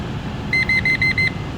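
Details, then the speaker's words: Parking garage carbon monoxide detection system tested with 200 ppm calibration gas: five sharp, high beeps as the alarm triggers. The sensor reads about 270–280 ppm, so it is badly out of calibration. "there's the alarm so we are getting an alarm but the 200 ppm is going all the way up to showing over 270 over 280 ppm"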